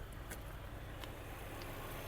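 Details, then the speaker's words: 2006 VW Golf Plus 1.6 MPI petrol, about 176,000 km, started first try with no dash warnings: quiet, even low hum at idle with no stumbling, knocking, ticking, smoke or misfire; a healthy idle. "автомобіль завівся зпівтику ніяких помилок на приборній панелі немає працює тихо"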